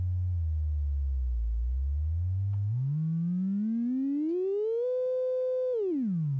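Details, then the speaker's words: Modular synth: with the envelope, filter and triple delay unplugged the sine output sounds clean, a pure tone gliding down, holding high, then falling, with no buzz or hiss. "ake the envelope out and we go back to what sounds like a cleaner sine wave"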